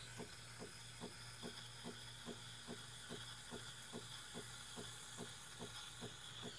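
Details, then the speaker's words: Breville Barista Pro espresso machine steaming milk: soft, even thumps about two and a half per second over a steady steam hiss. This is the machine making steam on demand with no storage boiler, which is normal. "you hear that thump thump thumping that's that's it making steam on the fly it does not store steam it doesn't have a boiler that stores steam or hot water"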